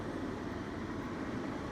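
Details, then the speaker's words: Off-grid power system, three inverters each near 2 kW, about 6 kW total house load (air conditioner, toaster, kettle, oven): steady dense hum, firm low drone and constant fan rush; inverters working hard, supply starting to fall behind. "You can really hear the inverters working hard now."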